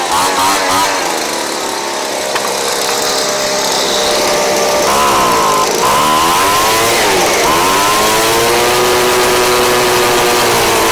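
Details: Craftsman 29cc two-stroke blower, previously missing its spark plug and fuel, fitted with a Chinese aftermarket carb-kit plug: high steady buzz rising and dipping cleanly as the throttle is blipped, no misfire or stumble; running right.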